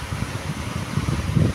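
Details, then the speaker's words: National desk fan after repair (previously would not run), tested on speed one then speed two: steady low whoosh of air with an even hum, no rattle or scrape; fan runs normally. "Alhamdulillah speed satu kipas jalan eh. Speed dua."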